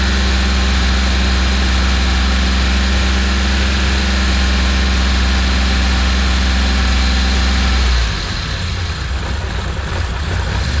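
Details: Rebuilt cammed Ecotec turbo engine ("Sam") running for the first time after reassembly: smooth, even idle with a steady low drone for about eight seconds, then it cuts out; sounds healthy.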